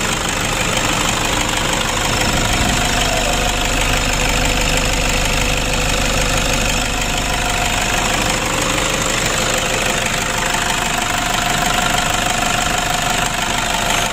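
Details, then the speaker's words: Toyota Innova diesel at idle after valve adjustment with clearance set slightly loose: an even, light ticking of about three per second over the clatter, a little rough but acceptable, better than too tight. "Ya kalau kita hitung-hitung ya kita penyetelan agak longgar itu memang suaranya agak kasar tapi tidak masalah teman-teman ya ketimbang terlalu rapat ataupun tidak ada celahnya begitu"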